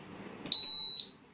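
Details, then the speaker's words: Split AC indoor PCB board under power-supply repair, 12 V fed to the bridge rectifier to supply the board and display: a single clean high beep about half a second long, then silence; power reaches the processor, normal power-on beep. "இப்போ sound வந்துருச்சுங்களா. இப்போ வந்து power வந்து work ஆகுது, ப்ராசஸருக்கு வந்துருச்சு."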